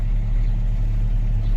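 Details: Jeep Grand Cherokee ZJ idling after a jump start from a dead battery, coolant possibly low: a deep, steady low rumble under the idle that the owner says stops when driving. Cause unknown.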